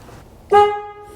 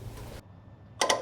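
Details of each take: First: 1968 Ford F100 (360ci V8) horn test after rewiring: alligator clip touched from the terminal behind the steering wheel to ground triggers the relay, giving a loud, clean two-tone blast that fades evenly; both horns working normally. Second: 1968 Ford F100, 360ci V8, 4-speed: grounding the new horn contact makes the horn relay beside the battery click sharply about seven times in quick succession, but the horn stays silent; wiring from horn area to relay good, steering-wheel-side continuity still to check.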